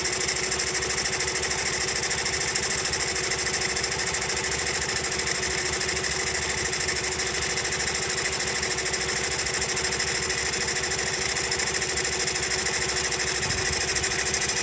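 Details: Honda Monkey small single idling with a fast, uneven ticking rattle over a hissy top end; abnormal noise persists even after tappet adjustment, cause not found.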